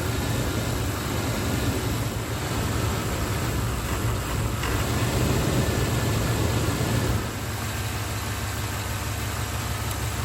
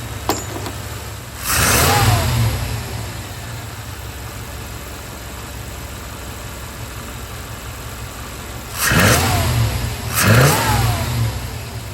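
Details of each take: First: 1994 Chevy OBS V8 at idle after a distributor and ignition coil swap, before timing was set: low, uneven, shaky idle vibration. The timing mark shows the ignition timing is off. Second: 1994 Chevy OBS V8 after a distributor and ignition coil swap and resetting the timing: two clean, crisp throttle blips falling back to a steady idle, sounding healthy.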